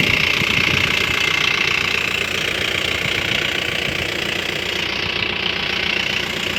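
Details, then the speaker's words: 2011 Mahindra Bolero SLX 2.5 diesel with 83,000 km: a loud, steady, even diesel clatter at idle, tractor-like but regular; normal for this engine. "Tractor लगता है। लेकिन शक्ति भी tractor वही।"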